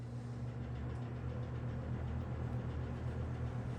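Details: Toastmaster 20-inch faux wood cabinet box fan, later-generation with banana-style blades and motor mounted in rear grill, running turned the other way: steady low hum, even soft whoosh, no rattle, scrape or wobble; smooth healthy motor.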